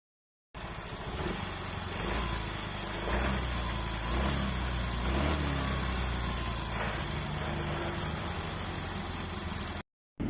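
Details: Mio i 125 scooter engine idling unstably, with a faint irregular knock about once a second; it also burns or loses oil quickly, and oil pumping is said to be weakening.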